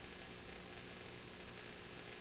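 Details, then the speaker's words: 1950 RCA 9-X-561 vacuum tube radio with an 8-inch speaker during troubleshooting, tuned near 740: a steady hiss and crackle with a faint hum and no station. Reception is too weak; the owner wonders if an unconnected speaker lead is to blame. "okay we're able to pick up the uh the signal generator but uh radio signals aren't strong enough to be picked up"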